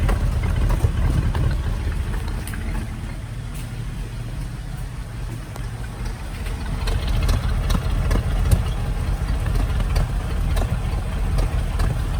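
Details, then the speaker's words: 1974 Ford Bronco 302 V8, first start after sitting under a shed since 2015, on the old battery: a loud, deep idle with an uneven lope, running rough and not smoking. Owner suspects it needs spark plugs or possibly more. Rough idle. "well I hope you can hear me over all this racket but it's running not perfectly but it's also not smoking"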